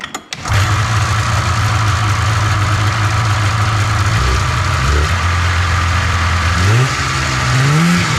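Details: 1997 Polaris Indy 500 two-stroke snowmobile revived after long sitting, may smoke from oil in the crankcase: fires, settles into a fast steady buzzing idle, then blips upward; idle too high, needs adjusting. High idle speed.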